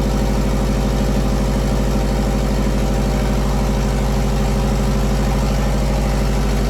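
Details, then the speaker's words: JDM EJ20 turbo WRX engine swapped into a kit car, after fogging oil in bores: deep, even burble at steady idle, no knocks or rattles, running smoothly. "we're gonna one smooth everything's running pretty good engine seems to be running pretty good right now"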